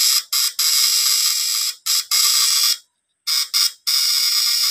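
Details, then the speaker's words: Repaired stun gun (stunner with platinum contact points), fully charged: loud, crisp crackling arc in short bursts with clean cutoffs, firing strongly and steadily; after the repair it no longer sticks and doesn't heat up, so it works normally. "So, yan naman siya, guys. Malupit ito. May lakas ito."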